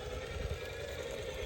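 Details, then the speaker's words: Outrunner motor on a crawler with AG Innovations Ninja micro ESC: smooth, even mid-pitch howl rather than the typical outrunner whine, pulse-width high-pitched scream largely gone; normal healthy motor howl. "it's not like the typical outrunner line it's more like an out runner howl"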